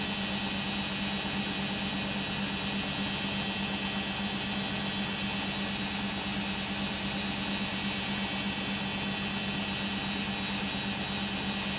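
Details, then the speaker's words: Beko WM5100W 5kg street-found washing machine, plumbed in, with rags, during a long spin of about 10 minutes: a loud steady roar with a constant low hum, no knocking; runs very noisily at speed, cause not confirmed. "that was quite a long spin being about 10 minutes of the spin cycle hoping it's just going to distribute and finish up now"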